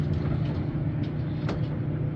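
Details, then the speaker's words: Maytag Atlantis dryer after repair of squeaking and thunking with parts replaced and tumbler fin fixed: even low drum rumble, no squeak or thump, just one faint brief tap; runs smoothly and quietly. "boy that sounds great I'll take it very nice"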